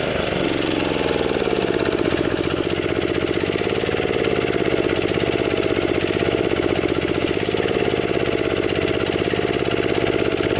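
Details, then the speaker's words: DR TR-1 walk-behind trimmer, Kawasaki FC150V 6.75 hp, after long storage: idles but won't rev up, flat strained buzz, keeps running only with choke pushed on; fuel starvation at high speed, main jet suspected plugged in gummed carburetor. "if I come over here and push the choke on manually Rev Run 2 it's definitely starving for gasps shame on you yeah so we have a carburetor problem with this unit here"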